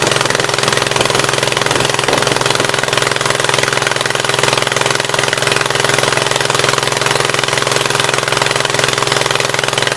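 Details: 1976 Gravely 816 twin restarted after a dose of penetrating spray (Blaster): fast, rough running with uneven pulses about 3.5 per second, the left cylinder firing only partly.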